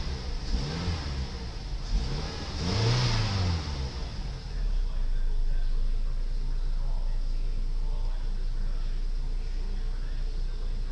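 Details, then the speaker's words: 2006 Mazda 6 engine at 133,622 miles, engine test: two clean revs that climb and fall smoothly, then settle to a steady idle with no knocking or rattles; sounds good. "Sounds good. Thanks and have a great day."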